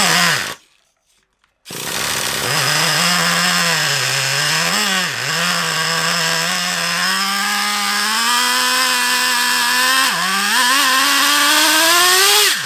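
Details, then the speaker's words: Traxxas Revo 3.3 nitro RC engine: high buzz wandering in pitch, repeatedly sagging and recovering; erratic, off-tune running, with a suspected low-speed needle leak and a carb clean-out considered. "because it seems a bit earache to me that only seems like to you love but to me it seems a bit erratic and off a turn"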